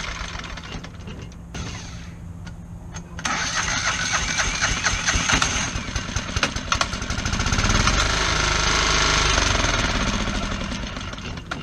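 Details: Kohler 725cc V-twin Pro Drive mud motor whose cylinder 1 connecting rod was thrown in 2012, so that piston doesn't move, now running with a makeshift non-steel key. After catching it settles into a lumpy, uneven beat with only one cylinder firing.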